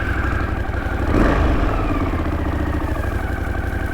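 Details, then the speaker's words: 1981 Honda CX500 horizontal twin in neutral, idle just turned down after carb balancing had raised it: steady, even low idle with soft twin beat and one brief blip, settling and holding smoothly. "That sounds better, right? Let's try that again. So, that's just from balancing, I think, from balancing those carbs."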